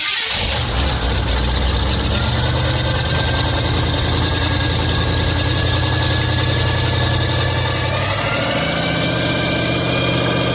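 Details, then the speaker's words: 1985 Chevy C20 truck, carbureted V8 with new muffler, cold start: catches and settles into a steady raised idle that eases slightly near the end, blowing steam; choke working, holding it on fast idle. "I think the choke's working now, dude. Sounds like it's up on high."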